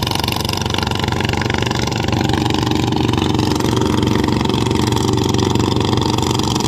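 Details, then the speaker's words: Nok 141-style single-cylinder bike with 78 belt, full gear oil: engine thumps evenly with a steady high gear whine, normal for this gearbox and not a fault. "แต่พี่บอกนะครับเฟืองหอนครับเฟืองหอนไม่ต้องกลัวครับปล่อยมันเลยเสร็จอาการปกติของมันอยู่แล้วครับ"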